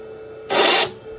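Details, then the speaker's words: DTF printer capping station spinning as the carriage tries to move left, blocking it; steady faint hum then a harsh raspy screech about a third of a second long; timing belt checked and correct, clear belt not the cause. "Now the problem comes is when you hear the cabin station spinning."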